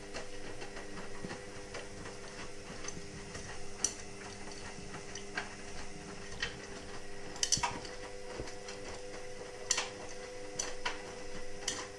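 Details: Indesit WIXL143 washing machine: quiet, irregular light clicks over a faint hum, no motor or drum running. It clicks for 2-5 seconds and never finishes its cycle. Stain removal, Easy iron and door lock lights flash. Fault unknown.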